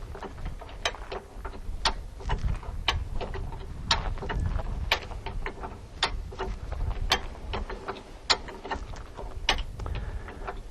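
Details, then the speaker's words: Hi-Lift Jack raising a Jeep until the tire is about 2 in off the ground: sharp metallic clicks about once a second with a softer ratchet rattle as the climbing pins catch each handle stroke; normal operation. "you will hear and feel the climbing pins click into place which indicates that the handle Direction can be reversed for another stroke"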